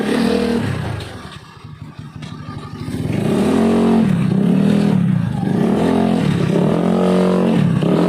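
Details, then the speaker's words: Honda Beat carburetor scooter CVT after repair: revs rise and fall smoothly with throttle, no rattle or grind on pull-away; the earlier ngerosok/ngerek CVT noise at initial throttle opening is gone, normal CVT operation. "untuk kondisinya sekarang dia tidak berisik ya berarti penghafalan yang menggunakan metode tadi ini berhasil ya teman-teman"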